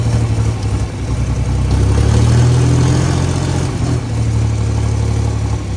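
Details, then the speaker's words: John Deere 4020 tractor after a new exhaust manifold and replaced injectors: a steady, low diesel chug that revs smoothly and returns to an even idle with no missed beats. No longer misfiring; a normal diesel idle. "It's no longer misfiring, so it looks really good. I mean, it sounds really good and looks."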